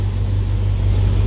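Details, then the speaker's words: Dodge flatbed truck with a replacement spare 5.9 Magnum engine and new converter, warming up after the rebuild: a smooth, even, deep idle with injectors audible and no knocks or ticks; normal idle. "i mean i can hear the injectors firing over the mechanical noise the engine makes so i'm happy this thing's running smooth"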